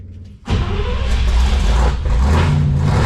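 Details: International C1600 truck with 345 V8, started with starting fluid and the choke out after a few turns: it catches into a deep, lumpy rumble with revs held up steady off the cold start, normal for a fresh start.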